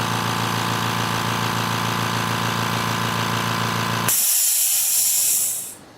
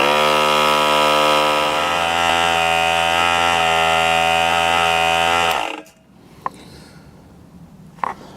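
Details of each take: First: Air compressor: fast, even chatter of the pump running steadily for about four seconds, then it cuts out with a hiss of air; normal compressor operation. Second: Harbor Freight 3-gal 1/3 HP 100 PSI oil-free pancake compressor after teardown and reassembly. It previously couldn't pass 25 psi; now it runs loud with a steady hum, slowly reaching 45 psi in about 4.5 minutes, very hot, then cuts off.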